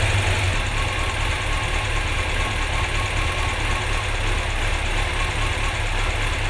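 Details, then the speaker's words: Car idling with a lumpy, uneven beat and no clean rhythm, running on three cylinders because one spark plug lead was left off. It ran much better once reconnected, possibly rich. "We're running on 3 cylinders. That sounded rough."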